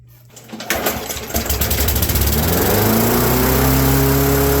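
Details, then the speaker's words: Abandoned Craftsman mower with a Briggs & Stratton engine, after repair: catches, revs surge upward over two seconds, then hold a fast steady drone; governor speed setting off, very sensitive, to be adjusted while running. "that is super sensitive we're gonna have to play with that for a while so here's what we're gonna do we're gonna do this the right slash sketchy way okay we're gonna fire it up we're gonna take the cover off we're going to adjust the governor on the Fly and we'll dial in our speed"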